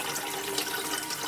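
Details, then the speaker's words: Electric BMW 320i conversion on jack stands: two Lang electric coolant pumps running after being remounted in the correct orientation. Steady water rushing with no whine or air gurgle shows good coolant flow, verified before the motor goes back in. "And you can hear both pumps are pumping water, good flow. So that was the last thing to verify."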